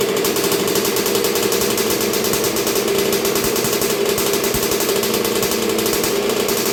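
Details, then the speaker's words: 1986 Honda CR125R two-stroke, first start and break-in after new .060-over Wiseco piston top end, idle being set; crisp, rapid, even crackle at steady speed, no misses or rattles; normal running. "so far so good it's sounding really good it's real crisp um sounds like it's bored out sounds like everything's working really good"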